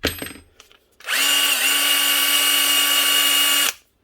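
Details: Bosch 18V-Li brushed drill/impact driver set from about 2013–2014, after a bent-contact switch repair: the motor spins up to one steady, even whine without surging or jumping speeds, then stops cleanly; running normally.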